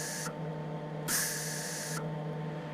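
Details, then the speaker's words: Soft, steady shielding-gas hiss with a constant hum underneath, quieter than at the excessive flow setting just before; MIG shielding gas flow turned down to about the right level. "that's a lot quieter it's it's it's a distinct sound you hear when you get when you do this a little bit"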